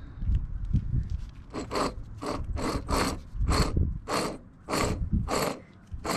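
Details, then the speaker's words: Old worn wheel hub removed from a 1998 Jeep Wrangler that failed inspection, spun by hand: gritty rasping grind fading as it slows, "like grinding coffee"; worn wheel bearing, hub replaced. "so got the hub on she all solid now here's the old one that don't sound good"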